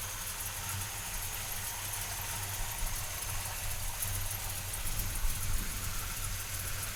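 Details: 1968 Chevrolet C10 pickup, frame-off restored, about 100 miles on build, 383ci V8 stroker, Demon carb, Flowmaster dual exhaust: lumpy deep idle burble under a loud hiss, steady and even, no knock or miss; normal V8 idle.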